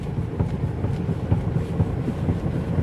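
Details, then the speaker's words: Mercedes-Benz GLA 200d, stationary, steering rocked back and forth: dull low knocks about two a second, suspected from slight play in the steering rack bush, not noticeable while driving; suspension otherwise fixed. "അതുപോലെ rack ബുഷിന് ചെറിയ play ഉണ്ടായി ഞാൻ നേരത്തെ പറഞ്ഞു. അപ്പോൾ അത് ഓട്ടത്തിൽ അങ്ങനെ വലുതായിട്ട് കിട്ടുന്നില്ല. ഇതുപോലെ നിർത്തിയിട്ടൊക്കെ തിരിക്കുന്ന സമയത്ത് അങ്ങോട്ടും ഇങ്ങോട്ടും സ്റ്റിയറിങ് അങ്ങോട്ടും ഇങ്ങോട്ടും ഷെയ്ക്കാക്കുന്ന സമയത്താണ് കിട്ടുന്നത്."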